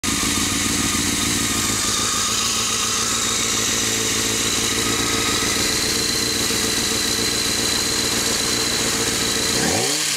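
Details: Honda F4i motorcycle engine idling and blipped: busy metallic rattle that shows up from about 2,000 rpm and up. The cause is unknown.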